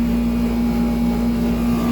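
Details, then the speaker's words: 1995 Tempstar 5000 air conditioner compressor building pressure at its first 2025 startup, about 86°F outside; owner says it is slightly low on refrigerant but has never overheated: steady low hum growing more gruff and growly, a normal startup. "Can hear the compressor building up pressure. It's getting more growly."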